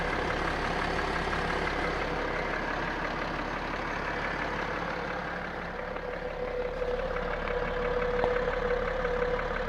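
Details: BMW X5 E70 3.0sd M57 diesel at idle: uneven tapping about three per second, louder than injectors or valves, speeding with rpm and fading by 2-3k, clearest at right front wheel arch; injectors restored without change, piston suspected, not confirmed.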